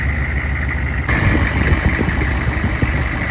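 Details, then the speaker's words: 2000 Chevrolet C3500 4x4 turbocharged 6.5 L diesel, first run: loud, rough idle with raw open exhaust rumble; owner says it sounds like the muffler has been cut out, not confirmed. "Sounds like somebody has cut my muffler out."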